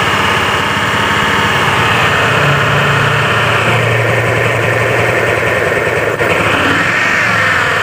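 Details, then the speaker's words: Honda Beat scooter idling, air filter soaked with oil and dark oil suspected topped up with used oil: loud coarse chopping clatter like a helicopter; CVT case to be checked, else a bearing suspected. "ya suaranya sudah mirip dengan helikopter"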